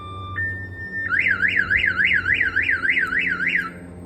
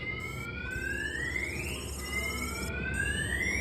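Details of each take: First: 1992 GMC Sierra 1500 Z71 with a newly installed Viper 5706V alarm, triggered e.g. by a door opening: a loud warbling siren rising and falling about three times a second, pausing then resuming, sounding as designed with flashing lights. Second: 1992 GMC Sierra 1500 Z71 with a Viper 5706V alarm, armed: shock sensor tripped, and the pager sounds rising electronic warning chirps.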